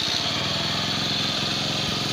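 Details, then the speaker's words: Bajaj CT100 single that stalled once hot, after new magneto coil, CDI, spark plug and ignition coil: starts on one click, quick steady ticks with even hiss, no stumbling; smooth normal idle. "Click andar. So uli na rin natin uli kung one click pa rin. Ayan siya tanda na siya."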